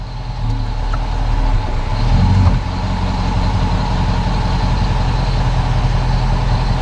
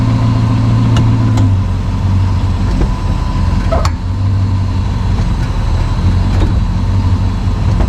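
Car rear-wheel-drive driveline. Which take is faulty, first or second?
second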